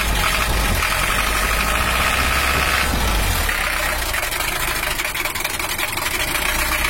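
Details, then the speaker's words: Toyota Hiace LH-11 diesel after injection pump bracket repair, warming up, oil pressure now normal at 5 bar; steady idle with coarse, uneven clatter as pump timing is still being set; rough idle from incorrect injection timing. "Masih belum pas masih kita cari bisa cari dulu yang pas untuk suaranya untuk suaranya itu masih normal your tapi cuma agak kasar sedikit"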